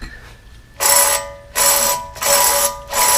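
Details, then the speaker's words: Audi 5000 CS Quattro front wheel bearing, hub turned by hand: harsh metallic rasping bursts, bearing with a couple millimeters of play. "Yikes. You can hear it. It's probably got a couple millimeters of movement there."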